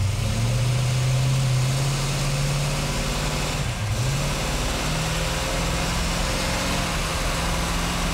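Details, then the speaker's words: 1977 Ford Granada with stroked 347ci small-block Ford built for 7500 RPM: deep, even V8 burble, steady low drone, smooth rev rise, quiet muffled exhaust, no misses or knocks; healthy running. "Is that glorious or what? That's like insanely quiet compared to what it was. That's street car level."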